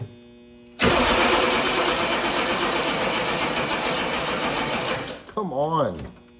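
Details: Humvee diesel after failed mechanical fuel pump replaced, batteries weakening: long steady starter cranking that never catches, then cuts out, while the emptied fuel filter canister slowly refills; it later starts and runs.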